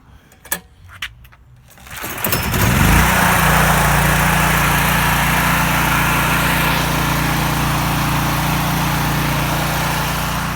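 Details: Little-used generator after bypassing the carburetor fuel solenoid by cutting its brass pin; pull-start clicks, fires within a second and climbs to a steady, even governed hum that holds; healthy running.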